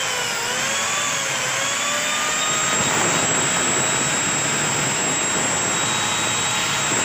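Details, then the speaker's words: CUMI CPAG 1200W angle grinder after armature repair and carbon brush replacement: steady high even whine, spins freely; earlier slow running, heavy sparking and burning smell resolved. "तो यहां पर देखिए message बिल्कुल सही समय पहले जो slow घूम रहा था इस बार कर था स्मेल आया था वो प्रॉब्लम ऑलरेडी सॉल्व हो चुका है"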